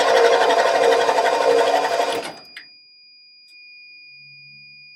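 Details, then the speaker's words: 1989 Ford F150, 61,000 miles, sat over 20 years: about two seconds of rhythmic starter churning, roughly three turns a second, no firing. Cranks but won't start; owner suspects old fuel. "Oh, come on, darling. She is so close to starting. So close."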